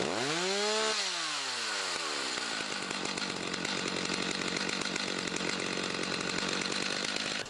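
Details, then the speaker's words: Chainsaw, unused about two weeks, warming up: throttle blips rise and fall sharply, then a steady high rev as it gets freer revving, warm enough to use; normal warm-up revving. "I want you to listen. Can you tell when the engine's a little bit freer revving? At that point in time, it's warm enough to slowly start to use."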